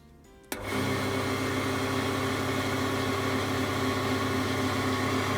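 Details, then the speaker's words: Clarke Woodworker CWL6B 20-inch wood lathe after new belt and new bearings fitted: motor spins up to a smooth, steady hum with no rumble or knocking; much quieter, running well. "so much better nice well I think that was a great success it works beautifully now nice and quiet"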